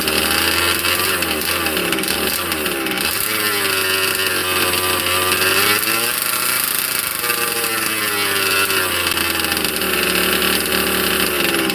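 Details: Cold 2-stroke engine in a 30 Degrees North 5th-scale RC truck, unrun for 2–3 weeks, started without choke: high buzzy burble with small throttle blips, speed wandering slightly while warming; runs cleanly, healthy.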